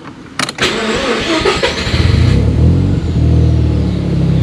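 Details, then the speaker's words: Mazda RX-7 GT-R (right-hand drive), already warmed up: quick crank catches at once, brief rev, then steady low idle under 1000 rpm with even burble; starts right up, runs well. "there we go starts right up runs well idle's nice um where is the idle yeah less than a grand which is nice especially for noise"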